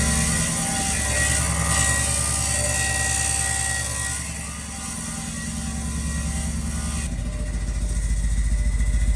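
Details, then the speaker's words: Built big-turbo B8 Audi A4 on first startup after rebuild, leaky exhaust: harsh rhythmic scraping clatter about three to four times a second following engine speed; owner believes a bent plate between transmission and block is rubbing. "yeah okay so you probably heard that very horrific noise sounded awful to begin with but i'm pretty sure i know what it is"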